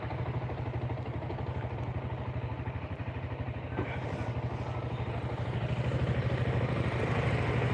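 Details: Single-cylinder motorcycle that had a rebore and new piston, now running with steady idle, even firing pulses, no knocks or rattles; normal idle.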